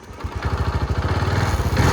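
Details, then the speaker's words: TVS XL100 BS6 silent-start moped, after reconnecting loose three-phase coupler that set blink code 21: small single fires up and settles into a quick, even putter idle, warning triangle gone; clean start, healthy idle. "ಗಾಡಿ start ಆಯಿತು, triangle ಕೂಡ ಹೋಯ್ತು."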